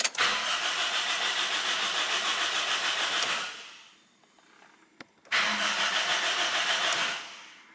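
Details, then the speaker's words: Car with an empty fuel tank, retried after adding about five liters; starter spins the engine at a steady quick beat for about three seconds, pauses, cranks again, never catches; cranks but won't start. "when I rotate that key in that way there is the sound this utility and it means the engine is trying to start but no any start"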